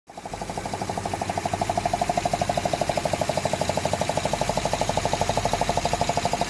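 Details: 2005 Honda Odyssey, after repairing a cylinder 2 misfire with new gaskets and spark plugs: fast, very even ringing knock about three per second over the running engine; source unclear, knock symptom only.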